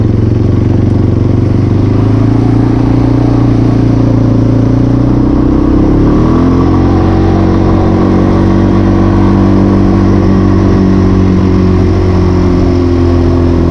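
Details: 1996 Yamaha Timberwolf 250 ATV, first run this winter above 20 degrees (46 today): steady low drone rising smoothly in pitch midway and holding, no misses or knocks; running cleanly and wanting to stay running.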